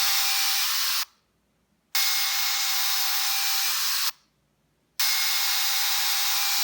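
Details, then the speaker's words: 38mm Apple Watch Sport alarm gives harsh hissing static bursts of about a second with short silences instead of a clean tone; water damage was first suspected, but a restart cleared it. "so earlier the uh alarm was making a strange sounds yeah like that crazy sound that I would oh"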